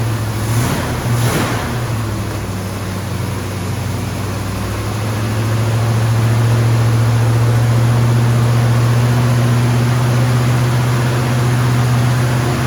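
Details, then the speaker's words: 1974 AMC Javelin engine just restarted after valve cover gasket replacement holds a fast, steady idle that climbs and stays high instead of dropping; choke stuck on because the heat riser brass fitting was not hooked up. "all right we noticed um when we got the car started that um the choke was staying on so this little heat riser thingy majiggy here was not hooked up"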